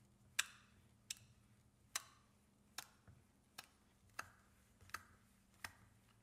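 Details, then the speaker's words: 1934 electric motor for a die filer, cover off: sharp slapping ticks about every 0.7 s over faint motor hum; the yoke slams into an overfilled pool of too-light steam engine bearing oil, causing cavitation and foaming. "it seems to be cavitation caused by the Yoke slamming into the overly deep pool of oil at the bottom of this thing no doubt that's what's causing the foaming as well"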